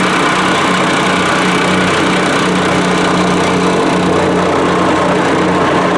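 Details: Honda GX200 swapped onto a plate compactor, started after sitting on a shelf five years, refueled and primed: small single-cylinder thrumming at even steady speed over the plate's rattle, no misses or surging; running healthy.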